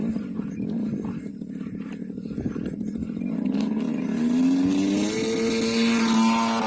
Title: Great planes pitts M12s TR55cc making noise.